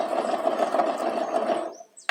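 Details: 2002/2003 KSZ motorcycle engine; fast, rough, gravelly whirring rattle; owner suspects worn bearings, and the piston was found scuffed against the cylinder.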